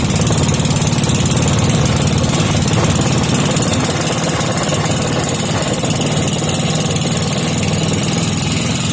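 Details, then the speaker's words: Briggs and Stratton 5 hp single-cylinder with gear reduction, serviced and air-fuel screw adjusted, started without choke: steady, even putter at constant speed with no misses or hunting; normal idle. "we're going to try and fire it up see if it fires up without choke oh come on now there oh yeah"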